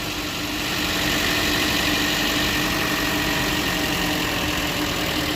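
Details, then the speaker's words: 2015 Chevy Cruze 1.4T, 68,000 miles, after replacing the valve cover/gasket with built-in PCV for a P1101 code and hissing: steady, even idle with no hiss or stumble; normal idle after repair. "no more hissing and this thing should act right it should idle smoothly a lot better whole lot better whole lot"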